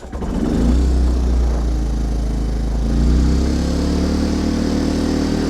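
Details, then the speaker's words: Milbank 2000 generator, a Yamaha clone bought not running, choked with fuel primed into the cylinder. It catches and runs unevenly on a low, hunting drone until the primed fuel is used up; owner suspects a carb clean is needed. "it's running okay well it ran until it ran all the fuel out of the cylinder I believe"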